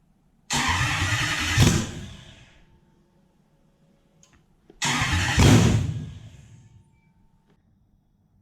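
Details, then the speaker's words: Toyota 1UZ non-VVTi V8 with a manual gearbox, on a plug-and-play relay setup to the stock loom with a different airflow meter, fuel system just drained: two cranks each fire briefly and then stall while the fuel primes. "I'm not too stressed that it does the fire and stop fire and stop this has just had its hole fuel system drained and I've just put a different loom on and it's got a different air flow meter to last time"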